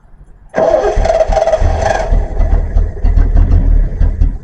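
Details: 1974 Triumph TR6 sitting about four years, fresh fuel in float bowls, oil added: catches and fires, then idle stumbles and surges unevenly and won't hold steady; suspected spark problem.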